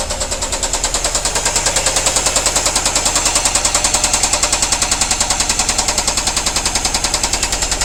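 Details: Nissan Primera P10 SR20 engine running: loud sharp steady knocking about three and a half beats per second over the engine; severe internal knock.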